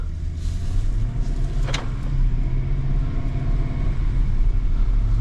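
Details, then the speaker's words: BMW 750Li on its first drive after transmission repair and subframe reinstall: a deep, smooth engine rumble rising with speed, strong torque from a dead stop, clean gear shifts, and nothing rattling or slipping; a healthy drivetrain. "shifting nicely engine sounds good too and you can tell I mean I'm not even on the car but this thing has so much torque even just from a dead stop"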